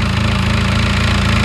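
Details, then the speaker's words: VAZ (Zhiguli) engine with slime toys packed into it: heavy, steady knock beating in time with the idle, loud and low over the engine note; starts easily, knock still present, engine straining slightly. "А нет, стук есть, стук есть. Хороший такой стук."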